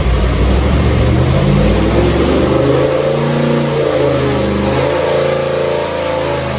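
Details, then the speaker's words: 1970 Ford 351C 4V V8 on dyno, pump gas, sub-10:1 compression, mild hydraulic roller cam, roughly 430 hp and 430 lb-ft, no leaks, clean oil filter; deep, even note swelling cleanly as revs climb and fall, no knocks or ticks; healthy revving. "Just a real sweetheart of an engine. So I'm going to put up a picture, and I'll let you listen to it sing."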